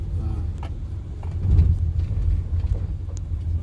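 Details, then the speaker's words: Used car driven over rough, corrugated road and a speed bump, low steady road rumble with no clunks or knocks; suspension normal, no abnormal noise. "Ya, tadi kita udah ngelewatin jalan yang lumayan keriting dan halus, nggak ada suara yang aneh. Nggak ada suara misterinya ya Om Jojo ya."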